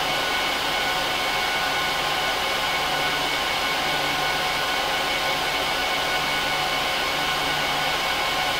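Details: HP ProLiant DL380p Gen8 server (24×4GB DIMMs, eight 300GB 10,000 rpm drives in RAID 5, both PSUs, no cards) during POST/boot: loud, steady high-speed fan roar with faint whistling tones, no surging; normal full-speed fans at power-on.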